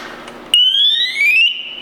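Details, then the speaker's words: Scott Air Pak SCBA cylinder swap: after removal with a descending tone, the new bottle is checked free of debris, pushed in and snapped tight. A sharp beep, then ascending tones confirm a proper cylinder connection. Normal. "have our ascending tones and we know that is has been properly connected all we have to do is snap it in and it looks nice and tight"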